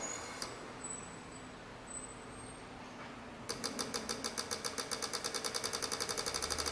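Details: Corsa Classic 1.6 8-valve fuel injectors on cleaning/test bench after new seals and filter screens, no dripping: after quiet start, crisp even ticking about three and a half per second; injectors pulse cleanly and sound healthy.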